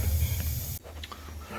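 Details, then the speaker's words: Steady hiss over a low rush from a pinhole leak in a pressurized water pipe above the subfloor, cutting off abruptly. "there's a leak coming from somewhere i can hear it i don't see it"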